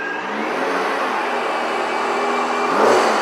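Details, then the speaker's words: Supercharged Nissan Maxima started with the hood opened to hear it: engine revs with a smooth, rising whir following engine speed; ordinary supercharger whine. "i want to hear that supercharger or squeal like a school okay first of all we're going to start it so martin is going to start the car then we're going to open up the hood [Applause] [Applause] so you can hear the supercharger"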